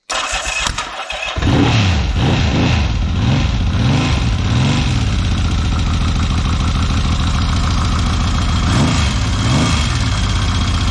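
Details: 1979 Yamaha XS750S, rebuilt engine that failed within 50 km, now with new timing chain retensioned, wiring, fuel, carburetor and timing advance fixes; fires quickly, light blips, then steady even idle with no rattle or chain slap.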